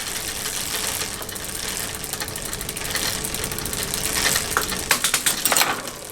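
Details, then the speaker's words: Bicycle after restoration from long, rusty shed storage, rear derailleur just adjusted: quiet freewheel ticking and soft chain whir, then crisp clicks as the chain moves across the cogs; normal, clean gear shifting. "I think that's actually not too shabby I think that's actually working quite well"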